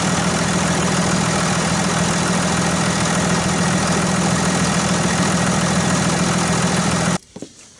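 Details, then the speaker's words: Dodge Ram 2500 diesel idling after replacing a cold-damaged weak battery in bitter January cold; steady even diesel rattle for about seven seconds then shut off, healthy with no stumble. "So, but anyway, I'm going to go ahead and start it up and show you what it's supposed to sound like."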